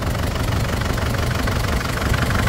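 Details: Ford Everest diesel smoking and misfiring after another shop replaced the valve cover gasket; idles with an uneven, lumpy knock and stumbling beat, and pulling the number two injector changes nothing; dead cylinder misfire.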